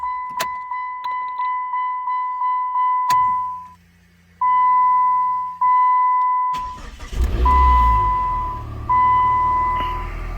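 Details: 2007 PT Cruiser that ran then stalled, after replacing the TIPM (fuel pump, filter, coil pack already changed): warning chimes, engine cranks, catches and settles into a steady, even idle with no misses or knocks.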